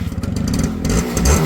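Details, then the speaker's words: Suzuki Max 100 two-stroke motorcycle, cold start: pops in a quick uneven beat and blips up in revs, nothing knocking; smoky because the engine is cold, smoke expected to clear after about 1 km. "బండి చాలా cool ఉంది కాబట్టి smoke అయితే వస్తుంది అన్నమాట. కొంచెం ఒక 1 kilometre తర్వాత స్మోక్ తగ్గిపోతుంది."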